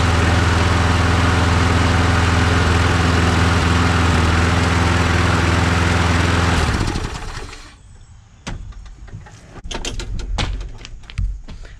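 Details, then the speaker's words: Push mower after a gasket replacement. Even, steady putter with no misses or surging, then shut off; still slow to start, compression not the highest, but now fixed. "it still takes a little to get going uh this mower definitely is not does not have the highest compression so it's all fixed"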